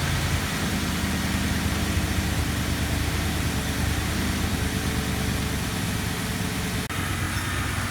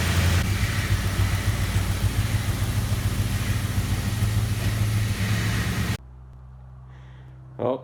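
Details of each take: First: 2004 Ford Crown Victoria V8 at 170,000 miles after replacing the driver's side exhaust manifold and broken studs; steady, even low idle with no tick or puffing, smooth and quiet: normal idle. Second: 2004 Ford Crown Victoria, 170,000 miles, idling: fast regular ticking about three times a second from a driver's-side exhaust manifold leak, two broken bolts or studs at the back of the manifold, the notorious Ford broken manifold bolt sound; before repair.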